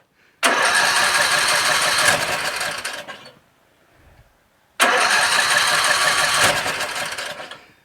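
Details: Troy-Bilt 17.5 HP 42-inch 8-speed lawn tractor that wouldn't start, gas added to test for fuel issue, on choke: two cranking bursts, engine catches and runs a few seconds each time before dying; starts once fuelled.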